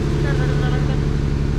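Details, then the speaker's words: 2020 Jeep Gladiator 3.6 with code P0302, flashing check engine light when driving, coil pack last touched: low heavy idle with uneven stumbling pulse, one cylinder dropping out; rough idle misfire on cylinder 2, cause unconfirmed. "the jeep gladiator started having a horrible cylinder number two misfires cassie start it up show them what it sounds like you can hear it"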